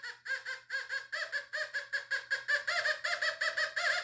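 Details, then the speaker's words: Fisher F44 metal detector air test on a beer cap: quick warbling chirps about three a second, faint at 10 inches and growing louder and brighter as the target moves to 9, 8 and 7 inches, a strong target response. "it's lightly squeaking at ten now we have nine eight seven now we got louder"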